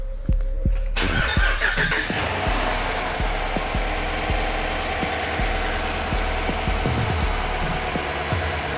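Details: Dodge Durango 5.7 Hemi after replacing a broken rocker shaft that caused a ticking noise: V8 cranks and catches within a second, then settles into a steady idle with no ticking.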